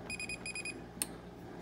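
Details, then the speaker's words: Maytag 2000 Series dryer that will not turn on: pressing power/start gives two quick bursts of rapid electronic beeps, then a click, no motor or drum sound; cause turned out to be the door switch not engaging due to bent clearance. "if you have a m tag 2000 series and it will not turn on and it just gives you this beep"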